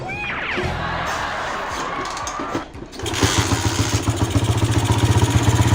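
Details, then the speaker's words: Honda Sonic motorcycle that started hard and was noisy from a leaking valve, after the valve parts were replaced: a short crank, then it catches at once into a steady, quiet, even idle; easy start. "โอเคสตาร์ทติดง่ายครับเพื่อนหน้าชายเงียบไม่ดังเหมือนก็"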